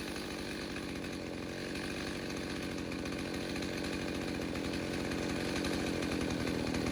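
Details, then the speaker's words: Stihl 029 chainsaw with 45mm top end, first tank since rebuild: high buzzy two-stroke wail held steady, pulling hard with no misfire or stumble; normal strong running under load. "Sorry, nostalgia, memories. Can't help it. That's the sound I heard every winter for 20 years."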